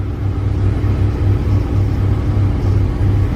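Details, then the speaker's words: 2007 Chevy Express 3500 V8 van at about 30 degrees, started after two Motor Medic flushes and an oil change for lifter tick: steady, even low idle, running smoother, no top-end ticking; healthy. "Oh yeah, she's running a lot smoother now. Well, how's that for you guys? That sounds nice."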